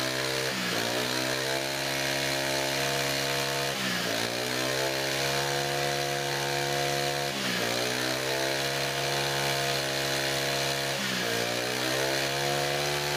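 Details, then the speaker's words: Brand-new Honda GX25 brush cutter, hard to start even with choke, under throttle: revs climb then sag every three to four seconds and never reach full revs; owner suspects the shop-supplied fuel, cause unconfirmed. "เวลาที่ทำการเร่งเครื่องนะครับเท่าที่ฟังจากเสียงแล้วนะครับเหมือนกับเครื่องยนต์เร่งไม่สุดนะครับเร่งไม่สุดเสียงนะครับทุกท่านนะครับไม่รู้เป็นเพราะสาเหตุอะไรนะครับแล้วก็เวลาที่ผมเร่งนะครับเครื่องยนต์จะมีอาการวูบด้วยนะครับ"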